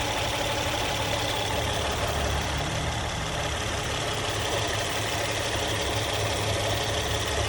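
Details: Engine idling after hydraulic tensioner replacement: steady, even idle with smooth hum, no ticking, rattle or slap; tensioner area quiet, earlier noise gone.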